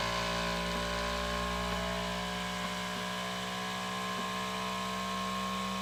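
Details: Elegoo Centauri Carbon 3D printer, new, first-time setup, mic placed close up: input shaping vibration calibration, loud buzzing from steady tones slowly shifting in pitch; noisy but normal, louder than owner's Bambu X1C.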